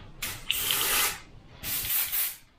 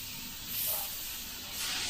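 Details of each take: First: Sagudio acrylic paint straight from bottle in 0.3 airbrush at 25 psi: short hissing spray bursts, fierce, with rough uneven spit instead of smooth hiss; paint too thick, not flowing right. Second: Airbrush with 0.3 needle/nozzle at 25 psi spraying thinned Sagudio acrylic: steady soft hiss with two gentle swells as trigger is pulled, spraying evenly; normal spraying.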